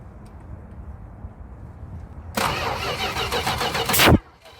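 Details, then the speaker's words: 1973 Chrysler Newport 400 cu in V8 from junkyard, starting fluid sprayed in carburetor: under two seconds of fast cranking with ragged pops, dies without catching; no start because distributor firing order was set wrong. "there well what do you know looks like I really did mess up there was looks like I did mess up the distributor again oh goodness I think I need to go to distributor school at this point"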